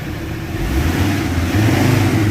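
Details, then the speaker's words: Ford Ranger 3.2 diesel revved hard after XADO engine treatment for power loss and low compression; climbs smoothly and strongly, deep even roar, vehicle shaking, no knocks or misses, healthy and responsive. "Ayun o, lumilindol talaga. So, okay. RPM ng malakas."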